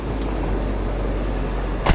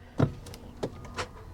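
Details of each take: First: it actually runs great 106 000 miles on the odometer engine sounds healthy Second: Vehicle at Copart, started with a jump pack: a couple of dull clunks with no cranking at all; engine is locked up, believed hydrolocked from flood water.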